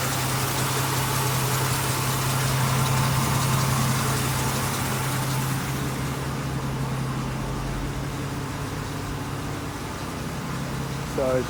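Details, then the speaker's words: 1980 Jeep CJ-7 Renegade petrol, low-mileage barn find sat since 1996, factory exhaust and muffler with no leaks: steady, even idle with low drone, no misses, knocks or rattles; runs healthy. "as you can see, this is a good running, driving Jeep. It does drive phenomenal, straight as an arrow, smooth, no clunks or rattles."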